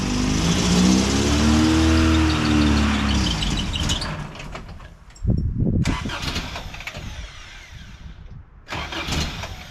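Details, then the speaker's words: 1988 first-gen Toyota 4Runner, cold: it cranks and catches, then stumbles with uneven, lumpy pulses and won't settle to a steady idle. Hard starting and rough running; owner suspects the cold start injector. "Well, still kind of runs like crap, so we're gonna work on that and get her where she fires up and idles."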